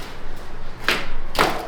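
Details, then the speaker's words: Downhill mountain bike drop test after new pedals were fitted: two heavy thuds as it hits the floor with nothing loose chattering afterward, the earlier rattle is gone. "Oh yeah. I don't hear that rattling though. >> No, it's gone."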